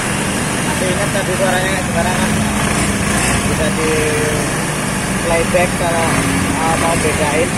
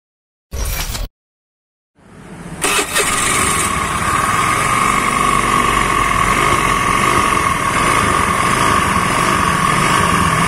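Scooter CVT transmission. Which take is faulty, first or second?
second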